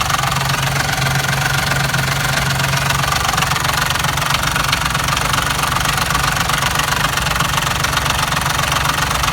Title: Porsche loud knocking sound